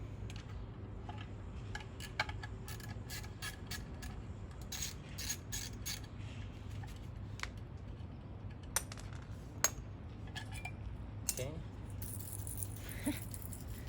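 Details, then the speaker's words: Removed broken original horn from a Mazda CX-3, shaken by hand: light irregular ticks and clicks like a baby rattle, something loose inside, before replacement. "so if you guys can pretty shaky sounds like a baby Rattler toy"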